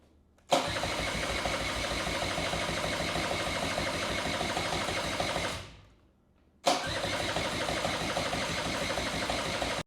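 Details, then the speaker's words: 1984 Honda Spree scooter, after sitting unused for years: starter spins the engine steadily, about three compression beats a second, twice, but it never fires; fuel starvation. "so actually looks like we're not getting any fuel surprisingly cuz there's nothing in this ual inline filter"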